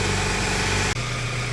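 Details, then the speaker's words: 1996-2004 Toyota Tacoma 2.7L being checked for a misfire, engine warmed up: a steady, even idle at about 800 rpm with no stumble, vibration or shaking, showing the injector is working and all cylinders are firing cleanly. "right now the RPM is about 800 so there's no vibrating there's no shaking so that means the injector is working"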